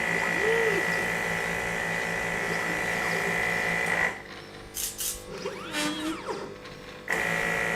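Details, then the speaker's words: Pick-and-place machine built on an X-Carve CNC base chassis: stepper whine with a high squeaking harmonic from the chassis whose pitch rises and falls with gantry speed; machine not mechanically optimized. "you can hear some sort of squeaking noise coming out of the chassis there which is not good it's some kind of a harmonic depending on the speed at which it's moving"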